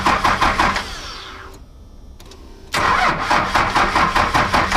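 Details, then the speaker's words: Cummins diesel truck in winter, long troubled by slow cranking after a starter replacement, now tested after adding a heavy ground cable. Labored cranking about 2.5 pulses a second, pause, more; slightly better but still slow, so owner plans to replace more battery cables. "sure that's better I kind of actually wished it was a little faster"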